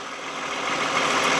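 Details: 2015 Toyota Camry with a growling noise while driving, wheels spinning and checked by mechanic's stethoscope: this wheel gives a smooth, even hiss with no growl, a healthy bearing; the other side growls.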